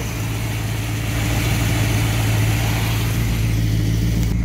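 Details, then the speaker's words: Carbureted V8 with Thermoquad, after idle mixture set with vacuum gauge and idle raised, in drive at 800 rpm: steady even low rumble with smooth lope, no misses or knocks; healthy idle. "And I'm right at my 800 horsepower, or 800 horsepower. I wish I was 800 horsepower at idle. 800 RPMs at idle."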